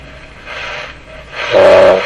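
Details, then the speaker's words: Canadian Westinghouse 981 shortwave radio after burned capacitor replaced, full volume, tuning a strong station: hissy swells with a wavering mid-pitched howl on top; the receiver is still oscillating, repair didn't fix it. "oscillation in the radio so it sounds like so again a strong station 9.3 it's actually right off the band here but that sounds like a radio doesn't it oh it didn't fix them"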